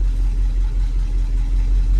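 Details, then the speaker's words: International Harvester 1800 Loadstar after fuel pump replacement (old pump couldn't keep carburetor bowls full above about 20 mph): deep, steady idle with even beat, no misses or surging; idles cleanly. "oh yeah there she goes i didn't have a problem idling yesterday"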